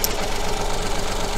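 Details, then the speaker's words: Coil-on-plug engine at idle with one cylinder's injector disconnected, removing its fuel: uneven, lopsided beat with a pulse dropping out each cycle; dead cylinder, which is suspected to cause the changed second part of the ignition pattern. "I suspect the change in that second part of the pattern is down to the fact that there's no combustion taking place in that cylinder"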